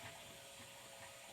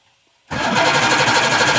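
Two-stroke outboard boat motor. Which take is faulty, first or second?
second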